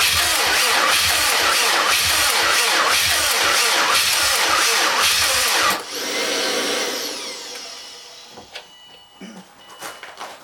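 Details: 2007 Subaru WRX STI after an engine rebuild: the starter spins evenly at about two compressions a second for six seconds but never fires. Fuel lines aren't swapped, fuel reaches them, and the main harness was reseated. Cranks, won't start.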